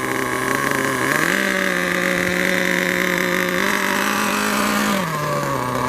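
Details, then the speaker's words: Losi 8 1/8-scale nitro buggy, .21 engine, during break-in after two tanks of idling: a buzzy high-pitched even note stepping up and down smoothly as it warms for about 30 seconds at slow speed; healthy. "Let's go, start running it on a slow mode. Let the car heat up for about 30 seconds, and then you can start"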